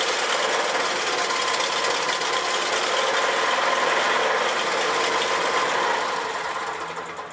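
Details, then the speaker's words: Old 4 HP Briggs & Stratton lawnmower engine at full throttle: RPM lopes up and down, the note wavering instead of holding steady; owner suspects a mid-range carburetor jet plugged with old gasoline varnish; idles fine; engine surging. "but when you start it up I go a Full Throttle it loopes r [Applause] so what I believe that is we plugged midc circuit on the carburetor a little bit high speed like that"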